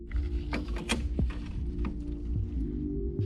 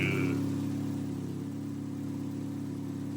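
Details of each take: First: Turbo 1.6 Miata at first start after fitting an NB6 intake manifold, Skunk2 throttle body and -6AN fuel lines: catches and revs, then sags toward stalling; needs throttle to keep running. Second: Turbo 1.6 Miata with NB6 intake manifold and Skunk2 throttle body, after adjusting the idle screw: idles on its own with a steady, even low hum and no stumbles or surges; smooth healthy idle.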